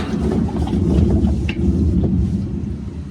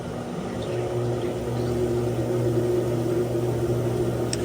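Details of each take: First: GE washer GTW460ASJ6WW in spin: heavy, steady low roar from failed gearcase bearings, with leaking seal and mode shift code 5; gearcase replacement needed. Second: GE washer GTW460ASJ6WW in spin after gearcase replacement (previously roaring in spin with mode shift code 5 and a leaking seal): steady, even motor hum building smoothly into spin, no roar or grinding; normal spin.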